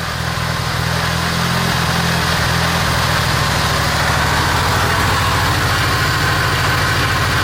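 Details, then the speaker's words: Car just brought back from a no-start, running without coolant so only briefly. An uneven, lumpy idle with an irregular low thrum rising and falling; it also conks out on the accelerator. Cause not yet found. "seems very lumpy also I can't run it too long cuz it doesn't have any cool in it so I'm just going to go for a accelerate"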